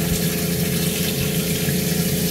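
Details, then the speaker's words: Cointra CPA11 LPG boiler, recently fitted on a 1980s 36ft Springer narrowboat with a new water pump, firing up as the hot tap runs: steady even low pump hum with soft rushing, no knocks; normal running. "i can hear the boilers just fired up let's give it a minute"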